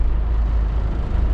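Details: Kenworth K100E Aerodyne cabover diesel, cab jacked up, running after fuel filter swap and screen clean; deep, steady rumble with no misses or knocks, running smoothly.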